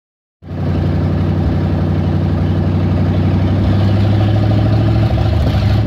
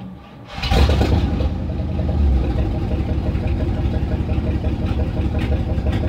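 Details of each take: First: 360 5.9L V8 idles rough and very high with an uneven, loping pulse, from a vacuum leak at the PCV valve. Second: 360 5.9 V8 cranks and settles into a steady even idle with no hiss after fixing vacuum leaks at the PCV valve and return hose; it had idled rough and high before.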